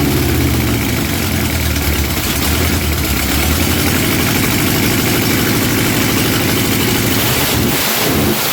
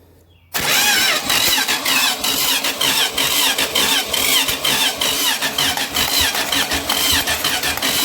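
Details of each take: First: Junkyard-sourced 1977 Dodge RV 360 V8, test-run out of the vehicle on the ground after pouring gas down the carb: catches and settles into a steady, even rumble with no knocks or misses until it cuts out. It backfired once. Normal running. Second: Junkyard-sourced 1977 Dodge RV 360 V8 being test-started out of the vehicle on the ground: steady starter cranking with rhythmic compression pulses but it never fires. Owner suspects not enough fuel and plans to pour gas down the carb. Cranks, no start.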